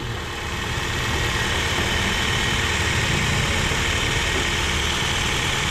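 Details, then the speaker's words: Toyota Vios at idle after a typewriter-like valvetrain ticking was repaired, with the valve cover set on but not yet sealed. Even, settled drone with no ticking and the oil light off; the engine is now quiet. Normal idle. "Tahimik na siya mga bossing."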